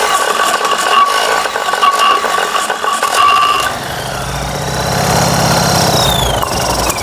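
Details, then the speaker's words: Fiat 126p (Maluch) twin on 92% denatured alcohol instead of petrol, cold, low compression: lumpy idle with stumbling beats and wavering note, misfiring and hunting; owner hopes warming up helps. "ciekawe coś mu nie pasuje tam może się rozgrzeje i zacznie chodzić"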